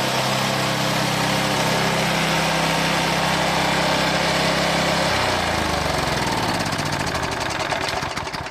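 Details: Old Briggs and Stratton lawn mower that had lost power and would not rev up, after fixing the carburetor float spring: smooth, steady hum at constant speed, then a clean wind-down at shutoff; engine now runs properly.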